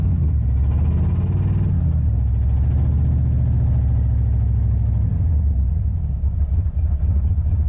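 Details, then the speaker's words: Engine on a road trip, roadside check, spark confirmed: deep heavy rumble with uneven lumpy beat never settling into smooth idle; engine badly hurt, no oil in engine and coolant reservoir empty, cause unconfirmed. "I think this engine is hurt pretty good we need it to last at least an hour and a half to get to our trailer and I don't think it's even gonna do that"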